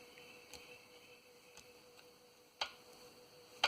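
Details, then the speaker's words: Kohler Magnum M18 from a 1990 Cub Cadet 1882 garden tractor, high-hour engine stopped and disassembled: faint metallic clicks about once a second as the piston is rocked by hand, piston slapping in a worn bore. "it's definitely a high our engine and the piston definitely has some movement in the bore"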